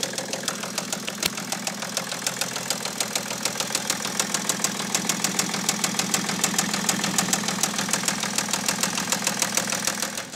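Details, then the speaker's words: 2008 BMW E65 730d diesel just after its first start on a recharged battery: a sharp, regular knock about three times a second over a rough idle, not firing on all cylinders. Unclear whether top end or bottom end. "yeah that really does not sound the best is it it's hard to tell if it's top end or bottom end but yeah it doesn't seem like it's firing on all cylinders anyway"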